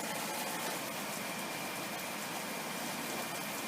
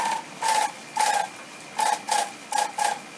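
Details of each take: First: Haier air conditioner with cover open, test-run while moving the styrofoam inner housing away from the fan: smooth, even air whoosh with steady motor hum, no rubbing or scraping. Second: Haier air conditioner, opened and running: repeating short scraping swishes with faint squeak, about two a second, from the styrofoam inner housing rubbing against the fan; fix is wedging it back for clearance and checking the front fan isn't loose.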